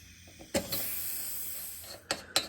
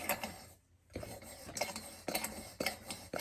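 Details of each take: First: Used Coleman lantern being pressurized after oiling the pump cap. A faint, steady high hiss of air escapes amid handling clicks as pressure bleeds past the fuel cap; a replaced fuel cap gasket later made the tank hold pressure. Pressure leak. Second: Coleman lantern pump after the owner oiled and soaked the pump cup: sharp regular squeaky clicks about twice a second as the plunger strokes, pump now sealing and pressurizing the tank normally, though a leak is heard.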